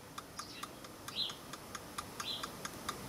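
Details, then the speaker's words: Landis & Gyr timeswitch after cleaning, powered on: faint, light, even ticks about four to five a second as the motor winds the escapement; normal escapement ticking. "you can hear it better now and you can hear the escapement being Round Up by the motor"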